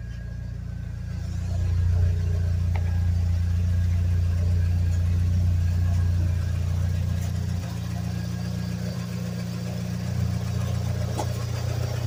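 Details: 1G DSM turbo car (fuel pressure 50 psi, boost about 12 psi) settles into a smooth, steady low idle with an even exhaust note, no knocks or ticks. It runs healthy after a no-start traced to a clutch safety switch that wasn't engaging.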